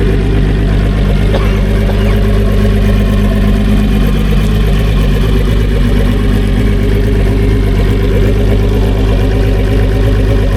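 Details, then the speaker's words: Newly fitted new-technology two-stroke outboard replacing a 250HO E-TEC, at idle: heavy lumpy burble with steady firing, no knocks or rattles — clean, healthy normal idle. "Like, you can hear it, like, it just sounds angry. But a clean angry, not a 300X, spicy, angry, crackly, like it's new technology."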